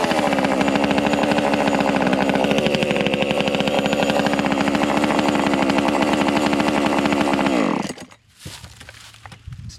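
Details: JPNTech 12-inch mini two-stroke chainsaw, cold start after storage, full choke, primed five times. It buzzes at a steady high speed for several seconds with no stumbling, then cuts off cleanly. Normal running.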